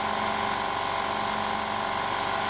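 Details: Laser-cutter air assist, with the valve orifice opened up and meant for 2–4 psi. There is a constant loud hiss over the drone of a continuously running compressor, about 750 W of airflow, and the compressor gauge isn't rising. Excessive air assist flow.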